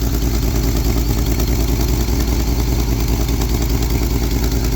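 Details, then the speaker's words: 1971 Lincoln Continental Mark III V8 after rebuild (pushrods, lifter, head gasket, timing set, Edelbrock intake, Street Demon 625 carb, new mechanical fuel pump): rough idle with an uneven clattery tick; owner attributes the knock to the fuel pump and suspects an exhaust manifold gasket or collector leak. "but the more of the knock knock knock knock knock knock that's actually the fuel pump."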